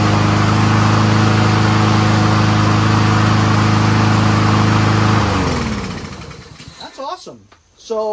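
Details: Troy-Bilt 21-inch front self-propelled mower with Honda engine, after self-propel cable adjustment: steady, even drone at constant speed for five seconds before shutdown, no misfires; runs smoothly.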